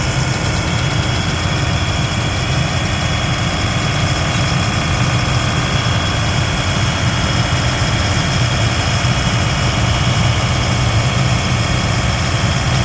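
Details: Abandoned military M1078 LMTV diesel truck first started on new batteries after a hydraulic pump issue, with the fuel now reaching it. Heavy, uneven, shaky low rumble at idle with no steady beat: rough idle, cause not pinned down.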